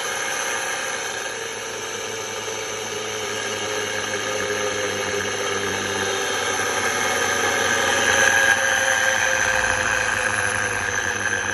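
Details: Squeal at full speed from a 3T22 motor spun by a drill to about 2600 rpm: a steady high squeal with several thin tones; the owner suspects the bearings, not confirmed.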